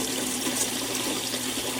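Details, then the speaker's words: Sun Sun HW-304B canister filter after replacing the broken impeller that caused a loud grinding noise: only a steady rush of moving water, no grinding or rattling; running smooth and quiet. "The filter is running smooth and quiet again."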